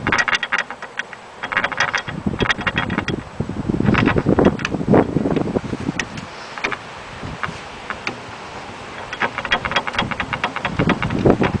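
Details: 1967 Volkswagen Fastback, original 43-year-old wheel bearing failed after three months lowered 2 inches: rough, uneven grinding with rapid click clusters while rolling.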